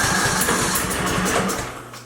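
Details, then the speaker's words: Craftsman LT2000 with a Briggs & Stratton 19.5 OHV engine that died while mowing, half a tank of fuel. Steady cranking chug for about two seconds with a few weak attempts to catch; cranks but won't start. Spark seems present, and a valve issue is suspected. "So it almost sounds like it wants to fire. See, it's trying a little bit, so to me it sounds like we're getting some spark."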